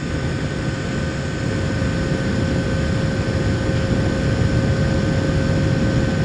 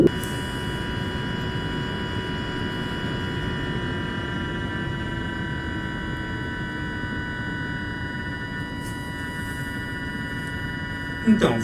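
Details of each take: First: Retro mini-PC cooling fan on a custom PWM fan controller, microphone up close, after new firmware was loaded; steady airy rush with a soft low hum and no high electrical whine; earlier whine came from low PWM frequency. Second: Bench cooler fan and lighting controller with fan at very low speed, microphone moved close: thin steady whine near 1 kHz over soft fan hiss, coil whine from the motor caused by a very low PWM frequency.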